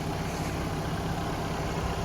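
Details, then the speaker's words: Low, even idle holding steady with no knocks or stumbles from a Ford Ranger warming up cold outdoors while snowing; normal, healthy idle. "all right guys i got it started up just getting her all warmed up snowing out"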